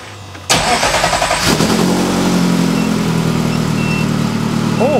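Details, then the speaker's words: Ferrari-engined Alfa Romeo 105 starting after new fan shroud work, exhaust valves closed: catches and settles into a steady, subdued idle with a smooth low exhaust note, no knocks or misses; tone not Ferrari-like, blamed on homemade headers. "That is much quieter. Obviously that's with valves closed."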